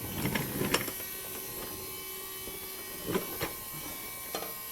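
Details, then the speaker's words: Factory GM lift pump from an LGH chassis cab added to an LML Duramax pickup, hardwired, engine off, CP4 inlet pressure rising to about 5.2 before relief opens: even high-pitched electric whir with light clicks; normal lift pump operation. "t know if you guys can hear the pump running on the audio there, but it's kind of getting right up to about 5.2 or so."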